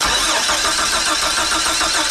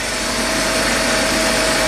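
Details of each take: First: 1999 Chevy Astro AWD van, sitting 4 years, fuel pressure about 60-65 psi: steady starter cranking about three and a half beats a second with no sputter or cough; crank no-start. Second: 1999 Chevy Astro AWD van, 52,000 miles, after finding no flow through the fuel injector: even smooth idle with a steady tone, no misses, stumbles or knocks.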